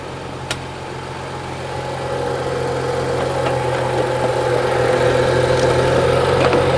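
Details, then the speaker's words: 2015 BMW 640i, brought in for intermittent no-start after shutdown: starts on battery charger, smooth steady idle with faint hum, no stumbles or rattles. Charging system reads 14.29–14.30 V, alternator good; cause was a defective battery, then replaced. "So right there, the engine started."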